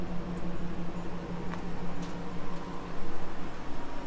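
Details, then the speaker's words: Insurance-auction Nissan Armada, front-end collision total, idling with AC on and fan running: steady low engine hum, even pulse, faint fan whir, no knocks or ticks; healthy idle. "overall walking around this thing looks uh pretty dang good really not beat up bad at all it's got a healthy sounding engine"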